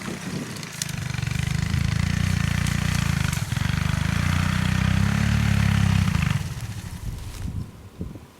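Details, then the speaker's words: 1984 Honda ATC three-wheeler, single cylinder, riding in first gear: runs evenly a few seconds, then sags and dies as if out of fuel despite gas in the tank; carburetor suspected, to be cleaned. Fuel-starvation stall. "Well, that didn't take long. It acts like it's out of fuel, but there's still gas in the tank, so I suspect something is going on with the carburetor."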